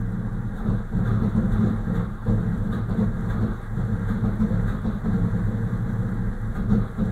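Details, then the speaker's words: VAZ-2101 petrol car with a misfiring engine: pulling the choke makes the revs roar, and pushing it in gives a low, uneven idle that sags and stumbles every second or so and shakes the car. The rough idle's cause is unclear. "Вот так вот эта сучка работает. Хуй поймешь, что ей надо. Подсос выдергиваешь, обороты ревут. Подсос убираешь, вся дергается."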